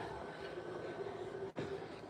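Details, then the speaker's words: Pallet-fired water boiler with its draft fan switched on. Soft steady fan hum at an even pitch, with no rattle or scrape. Normal running. "I got it turned off right now, but I'm going to show you when I turn it on. You'll hear the fan come on."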